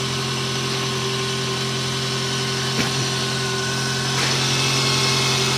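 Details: Toyota RAV4 after no-crank no-start fix by replacing starter: steady, even idle, smooth hum, no misses or knocks; starter solenoid still suspected weak. Normal idle.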